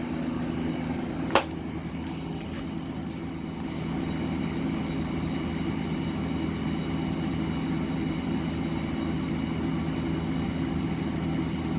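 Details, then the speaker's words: Vintage Eaton Viking dehumidifier with Tecumseh compressor and unbalanced fan, after vibration fixes: even low compressor hum with steady fan whoosh and one brief early click; normal compressor running. "Anyways, let's let it run for a bit and see how much water it collects. You hear the sound of the compressor?"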